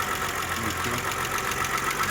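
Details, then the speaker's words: Audi A6 at idle: faint, quick, regular tick over a smooth idle from one hydraulic lifter still not fully pumped up; old engine, oil had been like fuel oil, may have always ticked slightly. "Есть еще, видишь, Ну, один какой-то не это самый идеальный. Чуть-чуть есть, да. Ну, мотор не новый, он может так до этого и работал."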